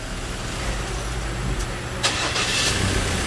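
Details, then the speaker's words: Ford Ranger after engine installation, restarted to show the repair: engine fires almost instantly on one turn and settles into a steady even idle; no check lights, starts and runs healthy. "Right, so again a quality job, no check lights on, vehicle starting, running, power."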